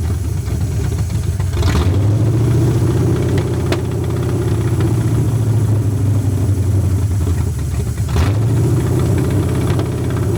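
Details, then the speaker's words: Long-sitting 1981 Ford Mustang 5.0 V8, carbureted, with a pump feeding the carburetor: ragged, stumbling idle surging and dipping unevenly; owner suspects a fouled plug holding heat, restrictive pump; idling better than before. "I think that it's probably got a plug that's got a bunch of stuff on it and it's holding heat on that plug so it it's keeping it's letting it keep firing is what I think it's doing but it's idling sort up better than uh oh better than what it has been so apparently that pump was restricting the flow"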